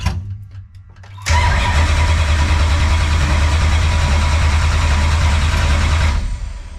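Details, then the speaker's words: Race car V8 first start for the 2024 season in a heated garage on a cold day, spark plugs just put in: brief crank, fires at once into a strong, even, slightly fast idle; exhaust may rattle a little; sounds healthy. "yeah sounds good we uh so yeah cool kind of hurts the eyes when you're not used to it for a while so have to get used to that but nonetheless sounds good fired right up"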